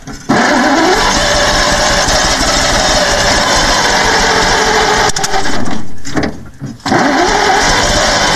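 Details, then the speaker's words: 1948 Bedford six-cylinder truck that sat for 15–20 years, with the starter engaged by hand because the dash pull-start lever doesn't engage it properly: loud, steady cranking with a brief dip that never catches. There was a small fire. "i don't know we had a little bit of a fire there just trying it's trying um i'll try to give it one more time i just don't want to get that starter too hot"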